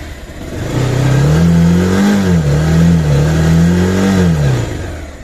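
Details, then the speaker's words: Bajaj Pulsar 220F after fairing vibration fix, revved to 4000-5000 rpm where vibration used to occur: single-cylinder revs climb and fall twice smoothly, clean tone, no panel buzz or rattle. "Vibration இல்லை."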